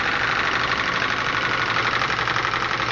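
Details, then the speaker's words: Graupner 5000 gas-fired model steam engine driving a pond water pump, gas just turned off: fast even hissing chuff, no knocks or grinding, as it uses up remaining steam and pressure drops rapidly; running normally. "see your pressure drops are dropped quite rapidly so that engine uses up all that steam"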